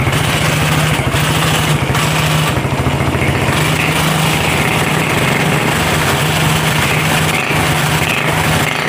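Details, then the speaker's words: Honda CB/GL motorcycle at idle after worn camshaft and rocker arms were replaced; it previously ticked roughly at the top end, louder on throttle. Now an even, regular idle with no ticking or clatter; the engine runs smooth. "cek sound di sini untuk CB sudah diganti untuk noken as dan templarnya kita lihat di sini untuk suaranya sekarang lebih halus ya Mas Bro"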